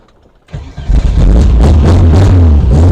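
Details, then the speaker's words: 1957 VW Beetle, sat a couple of weeks with carburettors run dry, no choke, electric fuel pump primed and throttle pumped: brief crank then it catches at once into a steady throbbing idle, 50 lbs oil pressure; normal cold start. "you go. Fires right up."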